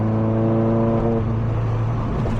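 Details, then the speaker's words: Nissan 240SX S14 driving after MAF sensor and air intake filter replacement: clean rising engine note under load breaks up and goes ragged around 3900 rpm, stumble and power loss persist; owner suspects TPS needs adjusting. "It was at 3900 when it broke out. So once it hits 4K or Yeah, it's breaking out."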